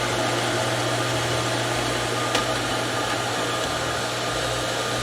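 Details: Outdoor garden water pump drawing from the lake, running after being reprimed (it had cavitated when it lost prime): steady, even motor hum with smooth water flow and no surging or gurgling; normal running.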